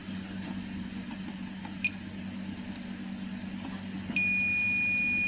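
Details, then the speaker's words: Toshiba 32P2400VJ 32-inch LED TV with a blank display but working backlight: a multimeter on continuity gives a sharp, continuous beep across a capacitor on the board, showing it is shorted. "kalau saya hubungkan begini nampak bunyi terdengar bunyi beep dan itu artinya terhubung atau short Coba kita lakukan pengukuran di beberapa kapasitor mungkin ada kapasitor yang short"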